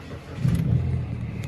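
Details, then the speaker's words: Kia All New Morning Deluxe bi-fuel (LPG), about 176,359 km: short crank, then the engine catches promptly and settles into a steady low idle; normal start. "시동 잘 걸리고 176,359구나."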